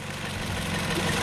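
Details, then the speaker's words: Toyota car engine after a misfire/lost-ignition fault was fixed by replacing a damaged ECU with a used one, running on fresh oil: a short stretch of even, low idle hum with no stumble or missing beat, running smoothly. "Ini dia mesinnya, Teman-teman. Suaranya halus ya karena saya menggunakan oli tadi PA Oil Gonic GX7."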